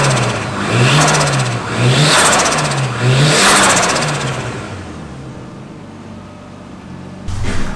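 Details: After fixing no-start by running new powered wire to fuel-injector relay: three clean rev blips rise and fall smoothly, engine settles without stumbling, healthy.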